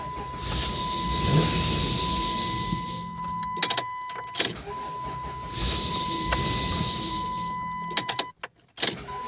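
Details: 1996 Dodge Grand Caravan SE 3.3 V6, starts then dies after 5–10 seconds: two cranking runs of about three seconds with steady starter whine, engine never catches and battery weakening; owner plans to change fuel filter next.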